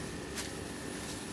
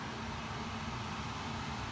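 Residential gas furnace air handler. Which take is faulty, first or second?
second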